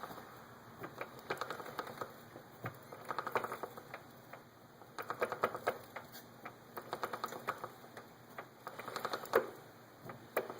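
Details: 2006 Yamaha R1 drive chain: rapid light typewriter-like ticking in bursts as it turns.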